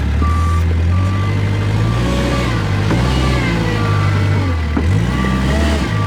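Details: Kubota wheel loader that won't reverse up steep hill loaded, reverse relief valve swapped into forward HST circuit: engine bogs with strained drone and hiss as forward drive hits relief and wheels stop; faulty relief valve suspected.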